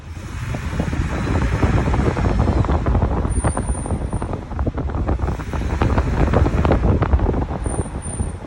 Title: Truck brake noises when applying brakes